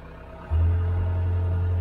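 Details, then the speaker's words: Cat 287B skid steer that would not move, being tried to see if it will move: steady low drone holding over the engine rumble; owner thinks the alternator is bad, unconfirmed. "Hear that? I think the alternator's bad."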